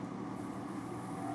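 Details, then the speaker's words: Furnace with an intermittent pressure switch problem and no-heat complaint: on a call for heat the inducer motor starts with a steady, even mid-pitched hum and no scraping or wobble, running normally. "I got my call for heat. There, the inducer motor comes on."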